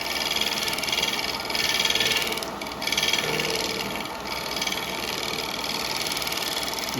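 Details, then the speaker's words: Cracked bowl blank on a woodturning lathe during shaping: a hissy cutting sound with a light tick about four times a second, once per turn, as the gouge bounces over the cracks. "expecting a little bounce we're getting a little bounce off of the uh off the cracks"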